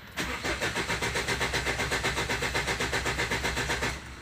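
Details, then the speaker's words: Ford Endeavour cranks steadily about six beats a second without starting; fuel rail pressure reaches only about 1400–1900 psi while cranking, too low to fire, with cylinder 4 injector suspected faulty. "max 1900 psi that's way too less for the engine to start"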